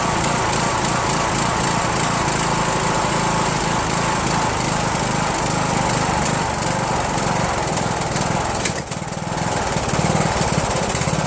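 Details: Rebuilt Briggs & Stratton 17.5HP engine (replaced two broken balancer counterweight links) repowering a Yard Machines lawn tractor, first start on choke, no belt pulley: uneven, hunting beat with sharp pop near nine seconds; runs rough and backfires, owner suspects carburetor.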